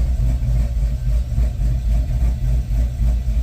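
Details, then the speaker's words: Chevy Caprice on ACES fuel injection after fuel was pulled from the idle area of the table: deep, uneven lope about twice a second, the chop rising and falling. The owner likes the sound, but idle rpm is not coming down fast enough. "Now my idle ain't coming down very fast. I'm not liking that. That's not how it's supposed to run, y'all."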